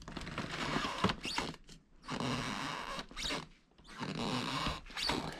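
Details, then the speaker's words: Basement floor where filled-in framing, possibly an old staircase opening, with cracking nailers, shifts about 1/4 inch when pushed up: dry, scratchy wooden squeaks in three uneven bursts; squeak from loose framing. "can push that whole thing up about 1/4 inch and you can hear the squeak. That's where it's coming from."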